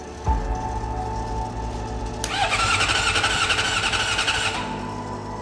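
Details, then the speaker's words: Suzuki GSX-R750 project bike, tank removed and a connector replugged: the starter whirs and turns the engine unevenly, never firing; crank, no start. The fuel pump is running, so missing spark is suspected, not yet checked. "Okay, so starter's going. The fuel pump, I can hear it. It's moving. It's definitely throwing gas. Now the thing would be to check if there's spark."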